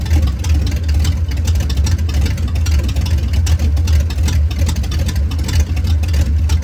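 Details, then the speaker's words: 1989 Ford Mustang GT Fox body V8 with catalytic converters removed, shorty headers into about 2 ft pipes ending before the cat position: deep, loud rumbling burble with choppy low pulses, no muffling, engine steady; open exhaust note. "So like I showed in an earlier video, I have the cats out of this thing, so it's just shorty headers, and then to the pipes that go right before the catalytic converters, which are about 2 feet long. So this is what it sounds like when it's got open pipes on it."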